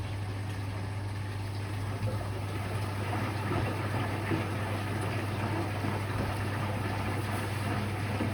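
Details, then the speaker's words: Electrolux Quickwash commercial washing machine, during a rinse: even, steady low hum of the drain pump with water rushing out; normal drain pump operation. "Ooh, you can hear it going out the pump."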